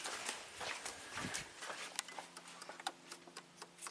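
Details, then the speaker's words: 1993 Cadillac Allante Northstar V8 with an idle speed control code and long hot-soak crank. With the idle air control motor commanded by PCM override, it clicks lightly, about two a second, over a faint hum; the pintle is not extending. Motor or PCM driver fault is unconfirmed. "I can hear it moving. It's trying to move. The pintle is not extending. That's the sound I was hearing before."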